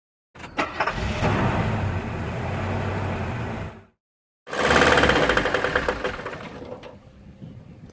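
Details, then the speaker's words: GAZelle with a Steyr 560 2.1 diesel, running with a regular, heavy knock under its diesel clatter from a failed connecting-rod bearing (rod knock). "Вот этот стук означает, что стуканул мотор. Шатунный вкладыш."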